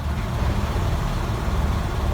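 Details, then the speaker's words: 2007 Toyota Corolla started right after clearing P0441 incorrect purge flow code with battery terminal briefly disconnected; low, uneven idle lumping and sagging near stalling, running rough, cause unclear (owner wonders if the terminal isn't on well). "well, it's not running good at all."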